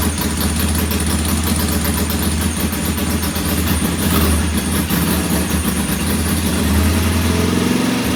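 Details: Norton P11 vintage British twin at first kick-start after a full carburettor strip and fresh gas: uneven, wandering idle that dips and recovers; one pilot jet isn't following adjustment like the other side's, to be cleaned again.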